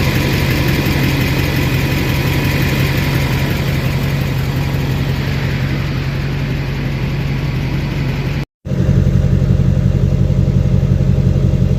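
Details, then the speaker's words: 2006 Chevy Silverado LBZ Duramax diesel, DSP5 tune, new 5-in exhaust with minimal Diamond Eye muffler: deep steady low rumble, even firing beat, felt vibration, no knocks or ticks; normal idle. "And the video doesn't do justice, but you can feel the vibration. Sounds so good. Sounds mean. Love it."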